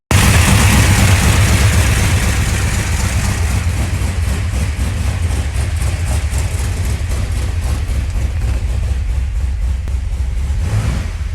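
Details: 1981 Chevrolet Camaro Z28 V8 after 15 years dormant, restored with new pushrods and fresh oil and filter, throttle pedal now hooked up: loud, even idle with a steady low throb, settling slightly, no ticking or knocking; sounds healthy.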